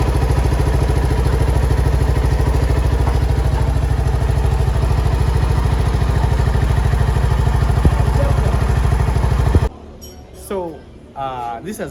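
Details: Suzuki Skywave AN250 EFI scooter, which had sudden stalls and a fuel injection light, after a 12 V bypass supply line was run to the fuel injector. The fault code is gone and an even single-cylinder putter holds steady about ten seconds: normal idle.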